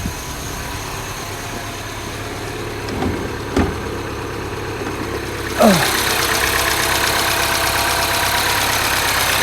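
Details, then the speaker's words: Mini OU08MJO returned after a reported snapped cam chain, idling: steady even beat with no ticking or rattle from the timing chain area; engine sounds healthy, chain apparently not snapped. "Well, that engine sounds pretty sweet to me. It's certainly not snapped, has it?"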